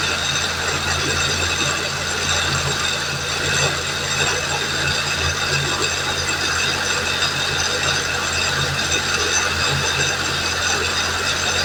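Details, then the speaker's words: Suzuki Fun that won't drive, engine started with clutch pressed and then gradually released: loud metallic grinding and whirring from the transaxle; inner CV joint pulled out of gearbox with splines slipping. "Bueno no sé si llegan a Escuchar el ruido que hace ahí hace un ruido mal raro"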